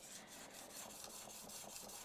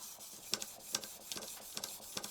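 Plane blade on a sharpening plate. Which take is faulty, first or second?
second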